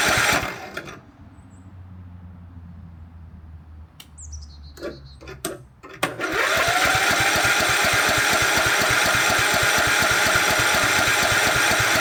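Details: 2006 Cub Cadet LT1045 riding mower, 20 years old, fueled with about a gallon: after a few failed tries it fires and holds a fast, steady, even idle that never drops; governor suspected out of adjustment, not confirmed.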